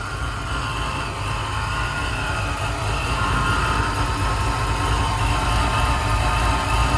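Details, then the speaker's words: 1994 Impala with Vortec supercharger, no-start traced to intermittent fuel pump: now running with good fuel pressure, a steady even idle with no misses, ticks or knocks; smooth, quiet, healthy idle. "Good fuel pressure, everything is smooth, quiet."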